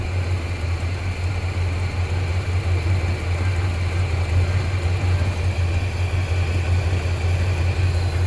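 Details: 1987 squarebody Suburban with swapped 454 big-block V8 (SM465/205), new exhaust, engine hot, after reseating a loose plug wire on cheap wires: deep, steady idle, even beat, no stumbles or ticking. Normal idle.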